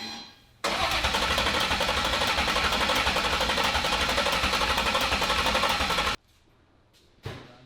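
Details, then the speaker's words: Ford Coyote V8 swapped into a Fox-body, first start attempts: about five seconds of fast, even cranking that never catches, then silence and a sharp, loud backfire; crew suspects timing or firing order, not confirmed; fuel smell noted. "Gonna go to number 1. It's gonna be loud backfires right there. Yeah. You might be in a bad spot. Yeah. Alright. Sometimes they backfire, they'll like ring your ears."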